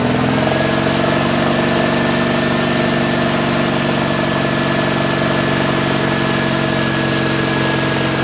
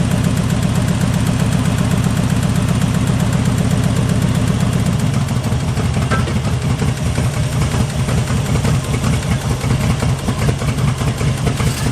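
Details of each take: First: 1974 Jeep CJ5 rock crawler revived after years sitting, with fresh gas, penetrating oil in the carb bowls, a fresh battery and plug wires refitted. Even, steady low-rumble idle with no misses, knocks or hunting; fully awake, normal idle. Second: 1974 Jeep CJ5 rock crawler, first start after sitting for years, with PB Blaster in the bowls, new plug wires and a fresh battery: a low, lumpy, uneven idle that sags. Idle is raised until the varnished stale gas clears.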